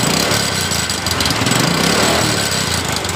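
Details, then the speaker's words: Honda Absolut Revo motorcycle, cold start: uneven coarse clattering from the right crankcase over a fast, unsteady idle; the engine sounds rough when cold but turns smooth once hot; rough cold-engine noise, cause not yet confirmed. "jadi permasalahan motor ini ketika motor ini dalam posisi dingin suara mesin ini eh terdengar suara kasar tapi ketika motor ini saat dalam keadaan mesin dalam keadaan panas motor ini mesinnya tiba-tiba halus"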